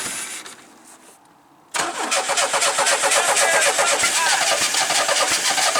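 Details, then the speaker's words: Cheap project car bought in New Jersey, clutch switch bypassed to start: it catches after cranking, then runs ragged and uneven, seeming to fire on only one or two cylinders. Earlier it smoked heavily and smelled of burnt oil. Rough-running misfire, cause unconfirmed. "as you can see it doesn't want to start back up but that's what it does sounds like it's only firing on maybe one or two cylinders at a time"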